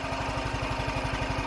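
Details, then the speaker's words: Cold start on a warm day with choke on after a few pops; quick, regular single-cylinder thumping beat, even and unbroken with no misfires. Clean normal idle. "there we go oh yeah listen that baby fire to life that sounds so good"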